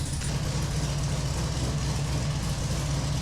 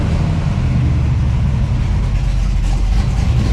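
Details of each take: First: 1968 Camaro fresh 383 stroker V8, carbureted, first start: low, lumpy, loping idle with heavy chug, barely kept running; idle too low, mixture too rich, timing too retarded, before tuning. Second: 1968 Camaro with fresh 383 stroker V8 (~500 hp) replacing the 327, on the road: deep, steady rumble with even beat, no knocks or misses; running strong and healthy.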